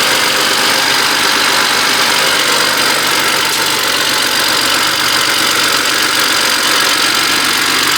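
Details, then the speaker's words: 2010 BMW 535xi with twin-turbo N54 and check engine light, at idle after rough, slightly misfiring start-up: a light, uneven metallic rattle over a hissy top end from the turbocharger wastegates. "So this N54, that little rattling you hear is from the wastegate on the turbochargers."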